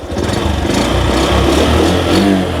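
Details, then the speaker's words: Near-new used Honda step-through, possibly the Super Cub (C125) with about 4 km: it starts first try without throttle, then revs smoothly and settles to an even putter with no misfire, no rattle and no white smoke; normal rev. "ทีเดียวติดครับไม่ต้องบิดเครื่องเร่งช่วยเลยฟังเสียงเครื่องครับนิ่มๆเลยมยฮะมันคือรถป้ายแดงดีๆนี่เองครับผมนี่นะควันขาวไม่มี"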